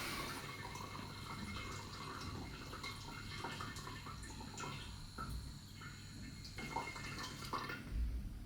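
Quiet, smooth trickle of water and air through the line with no gurgling; the pump drains normally with a working anti-siphon valve.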